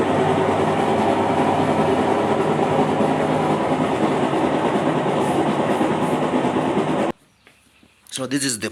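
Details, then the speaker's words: Aging top-loader washing machine, loud steady grinding clatter with a rapid knock about three times a second; clutch housing gears worn out, rusted parts, dead pump, leaking water; fix is replacing the clutch housing gears. "problem the clutch housing so the gears are on out"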